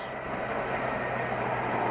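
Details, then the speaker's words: 2004 Chevy Tahoe with P0300 misfire, after regapping plugs to 0.040 in and swapping a plug wire with cylinder 7: the idle is even and much smoother, though vacuum still reads 15 inHg, suggesting late ignition timing. Normal idle. "Look at that. Much better. Sounds way smoother. Look at that. The engine's smoother."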